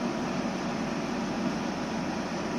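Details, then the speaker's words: Outdoor unit of 2009 Samsung 9000 on/off air conditioner after replacing burnt capacitor: even, smooth hum and fan rush, no clicking or stalling; compressor restarted, pipe cooling to 17 °C. "Quindi direi che il compressore adesso è ripartito a funzionare quindi sta iniziando a raffreddare ed era proprio il condensatore"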